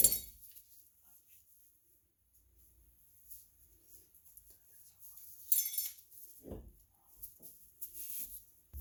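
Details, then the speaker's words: Removed rear wheel bearing from a Toyota with drum brakes, turned slowly by hand off the axle: gritty scraping rasps and clicks between quiet gaps, noise that grew with road speed before replacement; worn wheel bearing roughness. "percibimos como girando lentamente con la mano este Valero produce este ruido imagínense al girar a alta velocidad"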